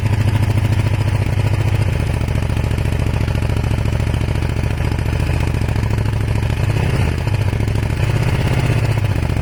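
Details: Kawasaki ER500 twin: chugging, irregular lumpy beat with occasional stumbles; misfire with white smoke, owner suspects a broken head gasket, unconfirmed.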